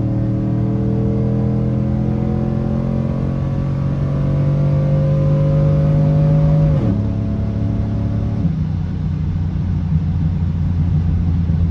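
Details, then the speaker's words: GM vehicle with 4L60 transmission during a custom-tuning data log: revs climb hard under full throttle, then drop sharply and go flat at the 1-2 shift, the vehicle laying over from big spark pull-outs; torque management spark retard. "so I don't know if you can hear it in the video, but definitely there's definitely some pretty big spark pockets. Um, it kind of feels like the vehicle is just kind of laying over."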